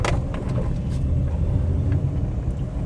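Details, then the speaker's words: Maruti WagonR K Series on test drive after front caliper bushing replacement: only even road rumble and engine drone, no knocks or rattles from the front brakes; noise gone, cabin silent. "जो आवाज़ की मैं बात कर रहा था वो आवाज़ अभी नहीं है गाड़ी में।"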